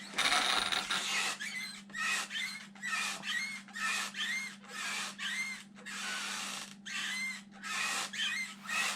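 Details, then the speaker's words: Arrma Fire-Team RC after one bash with assembly issue: diff cups wearing, rear drive shaft bent, front shaft wobbling; sharp high squeaks in bursts about once a second as drivetrain turns, everything dry: dry drivetrain squeak. "can hear all the squeaking going on now. Everything's just dry."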